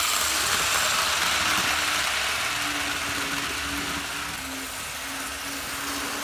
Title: TYCO Green Thing! Test Run of Burlington Northern GP-20 after repairs